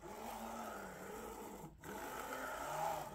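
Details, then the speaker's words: Creality Ender 3 V3 SE 3D printer, new out of the box: steady motor hum rising and falling as the axis travels, with a rough scraping edge; owner unsure of the source; scraping noise when moving axis. "like something's almost like scraping I don't know maybe I'm delusional"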